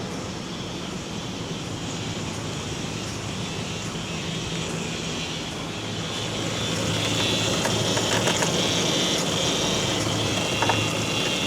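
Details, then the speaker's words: Work truck engine running with an empty power steering reservoir before refilling to find a leak: thin high whine rising above the rumble as the pump sucks in air. "Hear that whining noise? That's cuz the pump's sucking in air. Ain't no fluid in it."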